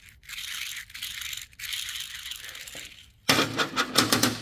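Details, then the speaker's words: Old thrust bearing from a Husqvarna CRT48PS ride-on trowel machine, removed during a spider service and spun by hand: a dry, gritty rattle in uneven bursts, very noisy and worn. "This is the old bearing, the thrust bearing."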